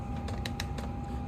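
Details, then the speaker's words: Chinese diesel parking heater on a 12 V supply, in manual mode at about 32°F: sharp light fuel pump ticks every few tenths of a second over a steady high fan tone. The pump has been repaired twice. Normal ticking. "just running it on manual one fuel pump still running same fuel pump that I'd fixed twice now"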